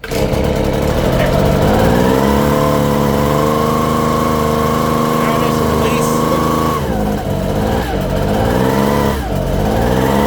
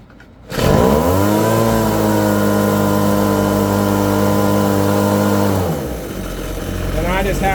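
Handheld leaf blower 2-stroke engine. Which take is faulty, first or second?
first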